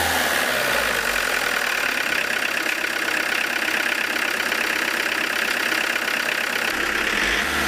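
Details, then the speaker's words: Diesel engine with Lucas DPC injection pump after injection timing set to the optimum point, warmed up: revs up cleanly and runs smoother and softer, no knock or misfire, little smoke when revving; normal revving. "Немного помягче стало. Наверное, на этом я и остановлюсь. Видите, как мягче стал работать?"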